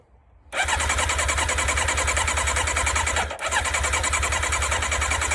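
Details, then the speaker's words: Yamaha sport bike bought at auction, on full choke with broken fuel knob: long steady cranking with rapid compression beats, fires only for a split second; cranks but won't start, owner suspects no fuel reaching engine. "SHE FIRED FOR A SPLIT SECOND. Try half choke. No choke maybe? I wonder if we're not getting gas to it."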